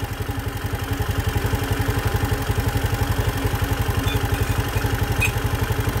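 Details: Engine at 62,000 km after throttle body carbon cleaning, idle screw turned down afterward without diagnostic tools: even, steady putter at low idle with regular firing pulses and no misses; normal idle.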